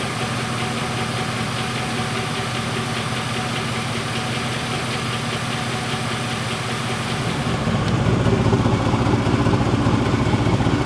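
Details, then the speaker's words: 99 GMC with 2013 Silverado 2500HD 6.0 V8 swap, after replacing injector number eight for fuel smell from passenger exhaust: steady even idle, smooth low rumble, earlier exhaust popping gone, brief level rise near end; owner still hears a possible injector tick. "hear that pop back here that I used to hear they used to pop every once in a while it sounds good"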